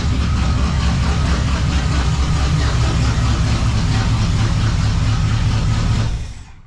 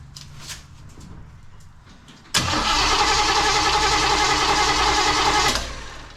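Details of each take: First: 1935 Oldsmobile hot rod, first start after sitting for many years and a full rewire: loud, deep, lumpy idle through an open exhaust, steady and even, no smoke, then shut off; normal healthy idle. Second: 1935 Oldsmobile sat for many years, rewired, first start attempt, fuel pump working and fuel squirted in: starter spins engine evenly about three seconds, never catches or pops; no spark, distributor later found unplugged.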